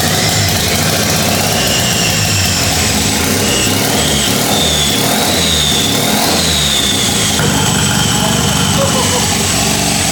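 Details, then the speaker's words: 13B turbo rotary in a replica Lamborghini Diablo, restarted after timing adjustments, no coolant in the engine, very smoky: busy buzzy idle with throttle blips and high whistle, running steadily, normal idle. "that's it's starting to come more alive as well but we don't want to run it for too long cuz we have no water in this thing whatsoever but that's sick very smoky"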